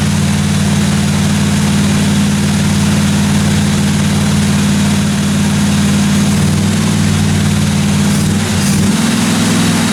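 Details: 1957 Chevy 210 project car, carbureted engine idling during roughly 20-minute cam break-in run: steady, even low rumble, no ticking, knocking or other weird noises from the valve train; normal idle.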